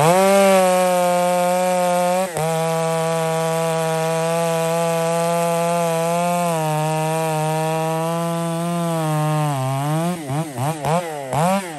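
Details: Poulan 655 chainsaw bucking a big cedar into firewood, mixture deliberately richened after it seemed a little lean, to be leaned out again later; steady high buzzing under cut that sags and burbles slightly at full throttle, then rev swings: running rich.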